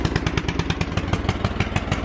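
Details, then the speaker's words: Riding lawn mower jump-started from a truck's battery with car jumper cables (truck not running), mower out of gear: small single-cylinder engine starts right up and chuffs at a quick, even beat; mower battery needs replacing. "Start it right up. I need to replace that battery."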